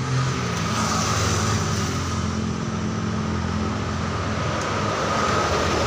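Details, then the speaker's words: Yamaha NMAX 155 that stalled and wouldn't start, now started using a better battery: steady, even scooter engine note with no misses; MIL light still stays on. "Nyalakan nyala ya teman-teman motornya oh motornya nyala"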